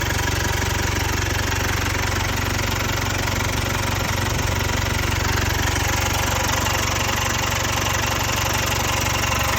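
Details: Jaguar XE 2.0 Ingenium diesel at idle: a fast, even metallic rattle of roughly three per second over the diesel clatter, from stretched timing chains.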